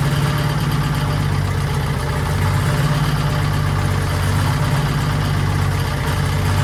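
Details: 1940s Allis Chalmers D5/HD5 crawler, two-stroke Detroit 271 diesel after long storage, normal idle: deep steady even beat, no knocks, misses or hunting; sounds good but smokes, owner suspects injector, probably to be replaced.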